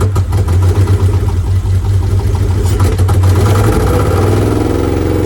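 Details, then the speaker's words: Mitsubishi 3000GT SL project car, first start: lumpy, uneven idle with low irregular chuffing beat, not firing on all six cylinders; misfire at idle, two coil packs suspected, not confirmed. "so the car is not running on all six cylinders we gotta go buy two coil packs tomorrow"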